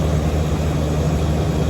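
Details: Central AC with R22 refrigerant, gauges at 39 psi on both high and low sides before startup: the compressor runs with a steady, even low hum and no strain or load, nearly empty from multiple leaks in the condensing coil.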